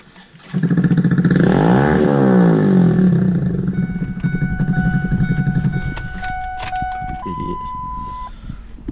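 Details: Ford 7.3 diesel truck run out of fuel, refilled; new crank position sensor, building oil pressure: starter spins at a steady, even rhythm for several seconds but never fires, air in the fuel system after running dry, batteries draining.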